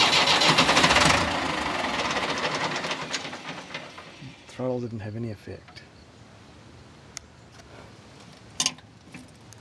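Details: Engine that had sat for a while: it catches and runs roughly for a second, then dies, and the next pull only sputters without restarting.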